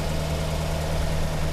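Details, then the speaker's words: 1948 Buick Roadmaster Model 79, 320 cu in OHV inline eight, warm-up idle: deep, steady, even idle with no misses, knocks or hunting; all eight cylinders firing smoothly, a healthy engine. "man that thing sounds good it sounds like it's running on all eight yeah you notice how smooth it is you can put an egg on the hood it wouldn't roll off"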